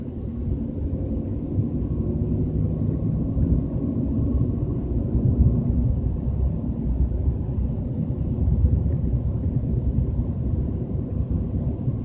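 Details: BMW 320i with a deep, continuous low rumble over road noise at a steady 30–40 km/h, no clear knock or whine; cause not evident.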